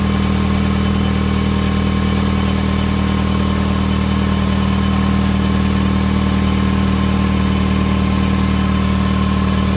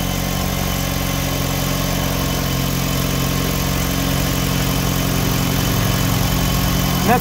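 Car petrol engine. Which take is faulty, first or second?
second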